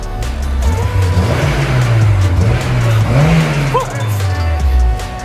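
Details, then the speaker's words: 2000 Honda S2000, first model year, Canadian delivered, extremely high mileage: repeated throttle blips climb and fall cleanly and evenly, no knocking or rattles. Engine pulls freely and runs really good. "black suck, but this thing runs really good, eh? Engine sounds good."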